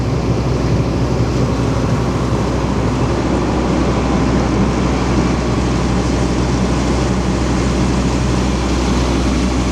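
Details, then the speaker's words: Jaw crusher running during a full inspection: steady heavy rumble with an even churning beat, no knocking, and no track or chassis movement beyond the rubber mounts, so the flywheel is balanced; normal running. "Another thing to look out for is if you get any movements in the track, in the tracks or the chassis, that will give you some indication that the flywheel's out of balance. But there's no movement in it whatsoever. Although these rubbers allow it to move."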